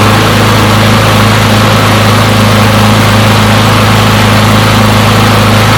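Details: Push mower from a neighbor who said it wouldn't start; run to warm up after long disuse. Steady, even drone with speed holding constant and no misses or surging; runs pretty good; normal running.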